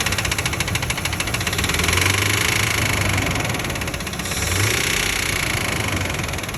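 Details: 2004 Ford Expedition 5.4 Triton V8 at idle: heavy fast knock about three per second after a spark plug blew out and was fixed. It is suspected to be the common poor-maintenance knock of this engine, unconfirmed; recorded before a Seafoam/Lucas treatment.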